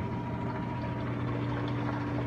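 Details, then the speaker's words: Whirlpool Duet front-load washer on its first (not final) spin at the 28-minute mark: steady low hum, faint even motor whine, no knocking or scraping. Normal spin. "Alright, 28 minutes. It's on the first spin cycle, or not the final spin, but the first cycle of my machine."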